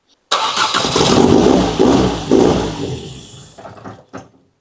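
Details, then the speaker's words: Ford Fiesta ST newly installed engine, first start with half the sensors unplugged: catches first crank, loud raspy blowing run on all four cylinders, no knocking, given little revs; big exhaust leak. "just give it a little rev. There's a big exhaust leak is all sorts."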